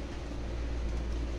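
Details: Kolin 2.5 hp aircon outdoor unit after replacing only the relay, because the fan motor was not running: short stretch of steady, even low hum with no rattles or surges; compressor and fan now running normally.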